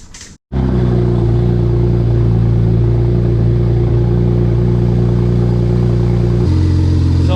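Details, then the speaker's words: 2007 BMW 335xi just after bleeding the coolant system, running without an exhaust fitted: fires straight into a loud, open, steady idle with an even beat, then a small drop in revs; normal running. "sounds like it's running good uh so far so good"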